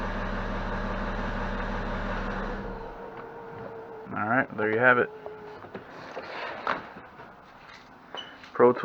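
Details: BMW E70 X5 diesel right after fuel filter replacement and fuel system priming with ProTool: catches and settles into an even, steady idle for a few seconds before voices; sounds healthy.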